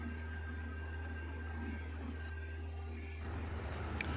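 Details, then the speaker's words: 2010 Suzuki Maruti Wagon R idling above 2000 rpm (about 2297) with zero throttle, normal idle about 800; steady, fast, even engine hum, blamed on an idle air control valve on the throttle body stuck open. "this problem is in IAC valve IAC is idle air control valve this is mounted on a throttle body sometimes this valve gets Stuck because of improper and longer period of service"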